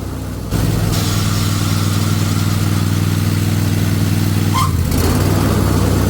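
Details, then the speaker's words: Riding lawn mower with manual blade engagement: worn deck brake pad lets the shoe bracket scrape the blade spindle sheave, giving harsh rough metal-on-metal scraping over the steady engine drone when blades are disengaged. "You can see how it was coming over there, letting that pulley make contact with the spindle, and also the bracket holding the shoe, the brake shoe, is making contact, making noise."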